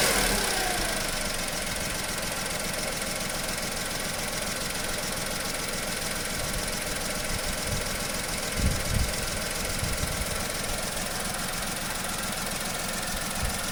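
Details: Skoda/Seat/VW 1.2 12-valve three-cylinder, code P0302: uneven, lumpy idle with an irregular stumble from a cylinder 2 misfire that persists after new plugs and a coil; compression ~10 bar on cylinders 1–2 vs ~14 on 3; exhaust valves suspected.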